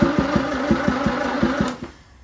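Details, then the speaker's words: Land Rover Series 2A with rebuilt engine, points ignition, makeshift wiring loom and gravity-fed fuel: starter churns about six beats a second, never catches, then stops; no spark from dirty points. "No spark yet. Okay, so that's there. Nope, nothing yet. Hold on. Okay, so clean the points."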